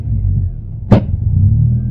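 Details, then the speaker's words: 1996 Toyota Corolla E10, plugs and leads already replaced, on a drive: low engine rumble broken by one sharp pop, a backfire, as the throttle opens, then uneven running; it splutters and hesitates under throttle, cause unknown. "she's very splutter right when you put the foot don't mind the fanny belt she's a bit splutter when you touch the"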